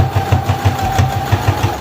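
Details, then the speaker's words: New CS6000i sewing machine on a straight stitch at its middle speed setting. Even thumping at about six stitches a second over a steady, light motor hum: normal running. "And this is on the slowest speed right now. That's actually very, very, very slow."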